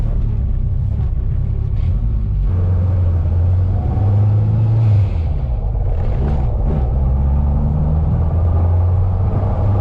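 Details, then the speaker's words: Honda K20 sedan with a brand-new engine, new Honda flywheel bolts, clutch checked: wheels turning in gear with a low, even rumble and no rotating knock or grind from the bell housing; the earlier noise is gone, normal. "Noise that was right here, I don't hear it anymore. It was right here where that noise was coming from."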